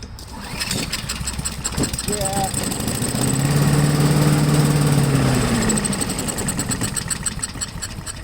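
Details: Honda 5HP engine on MTD Yard Machine push blower, sat unused 2+ years, after priming carburetor: a few quick pulls, engine catches and pops about three seconds then dies; fires briefly on prime.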